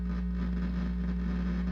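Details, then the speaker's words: Fender Blues Deluxe hybrid tube amp, power issue reported, filter caps checked: steady low hum with a buzzy edge drones continuously as the intermittent noise returns; cause not yet traced, to be isolated with a signal tracer and dummy load. "there it is so I want to see where that noise is we're gonna go through schematically trace us out taking the speaker out of circuit"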